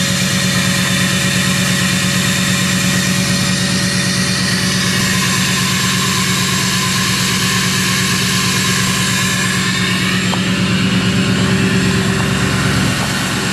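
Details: Duramax diesel cold start at about 27–28°F, no glow plugs used; steady even diesel clatter holding a raised high idle with no misses or stumbling, a healthy cold-start high idle.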